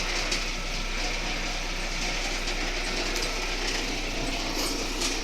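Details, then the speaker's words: Russian car moving: steady, dense rattling grind from underneath, cause unknown, plus a whistle the owner suspects is the timing belt or alternator belt. "вот такой нехороший звук кроме свиста то есть насколько это вообще нормально для Российского автомобиля Я не знаю всё равно это какой-то непорядок"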